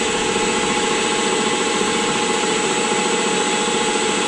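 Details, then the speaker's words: Rockwell horizontal mill after VFD install, in a cold garage at 24 degrees; steady whir with hum and gritty rumble from the head, owner suspects tapered roller bearings took a set from years of disuse and may clean up. "those are tapered roller bearings in there I think they may have just taken a little bit of a set and they clean themselves up I don't know and Emily you can hear that in the head it sounds like sounds like"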